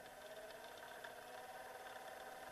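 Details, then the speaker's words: Small DC motor salvaged from old printer/copier, bench powered from a supply stepped up toward 24 V: steady smooth mid-pitched hum, no knocks or grinding; healthy. "15.6 volt. Motorun devrinin arttığını sesimden anlayabiliyorsunuz galiba. 17.6 volt."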